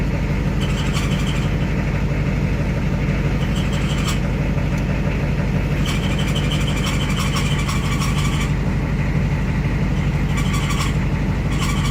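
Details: Ford ZF5 S5-47 manual transmission, supposedly good used unit: steady droning whine under road noise; teardown found rear countershaft bearing race spun loose in the case, 0.006" countershaft endplay, bearings only minor pitting and scratches.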